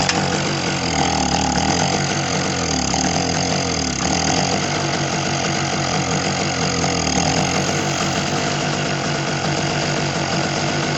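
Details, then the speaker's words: Small Target generator that refused to start, now started by pouring a little fuel into the carburetor opening with the choke left open; steady, even engine drone with no misses or knocks, running smooth and healthy. "Alright, you see, so it works. So you can try that sometimes. If your generator refuses to start, you can try to snuff it."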